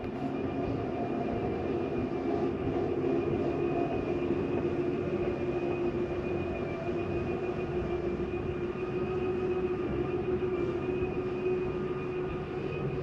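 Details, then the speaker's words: 2025 Jayco Jayfeather 19MRK travel trailer, slide-out extended from the wall control panel; steady even electric motor drone with constant hum, no binding or grinding; normal slide-out extension. "Go ahead and run that slide out. It's going to hit extend."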